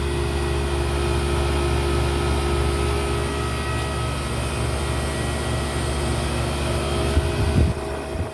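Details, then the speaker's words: GE condenser fan motor, seized with missing bushing, temporarily patched with oil before a new motor arrives: briefly an unusual noise, then a steady, even low hum and whir with no scraping or rattle; running smoothly. "all right let's try it out should turn on [Music] never made that noise [Music] before evening out [Music] it's 2: in the afternoon and it's still running pretty"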